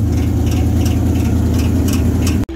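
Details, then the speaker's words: C3 Corvette Stingray V8 at idle: light regular tick about three times a second, which a mechanic called engine ping, is actually the fan blade hitting the plastic fan shroud; fixable with a cable tie. "It's the fan shroud. The fan's hitting the fucking plastic. I don't have an engine ping."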